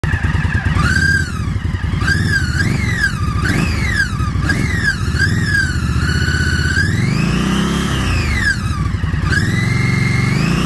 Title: Hello. The bike is a 2019 Indian Scout Bobber. There is a loud whistling from the engine.